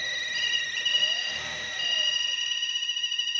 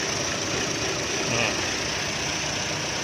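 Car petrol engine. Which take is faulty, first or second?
first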